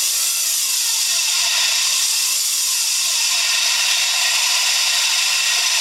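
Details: Daihatsu Hijet S321V alternator noise: constant high-pitched rushing grind over very little engine rumble, a steady noise pointing to the alternator.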